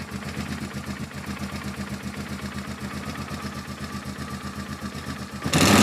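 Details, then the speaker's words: Polaris Sportsman 450 ATV on restored original Mikuni carb, jump-started, no enricher: lumpy single-cylinder idle turns to a dull roar that won't take throttle or rev cleanly, though the slow circuit is believed clear; bogs on throttle. "Won't take any throttle. And I know that slow circuit's clear. Let's give it a little enricher. Yeah, she won't take any throttle."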